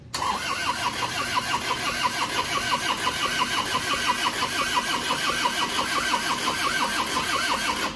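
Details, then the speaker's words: Isuzu Panther pickup diesel, reassembled after smoking from the dipstick and oil filler after an oil change. Long cranking with even chugs about 88 a minute that never catches, with thick white smoke; injection timing too retarded. "Kalau asapnya banyak, putih tebal enggak hidup-dedup berarti terlalu mundur ya. Oke, sudah jelas kemunduran ini."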